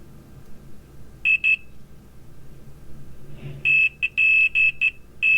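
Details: Water-damaged iPhone X logic board being repaired for a non-working 1X camera: short high beeps at about 2.7 kHz as the multimeter probes touch, showing good continuity.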